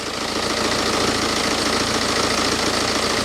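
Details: BMW with nearly 190,000 miles, after WD-40 was sprayed on the non-original drive belt: steady even idle with no chirp or squeal over it; normal idle, squeak gone, so the belt was the squeak source.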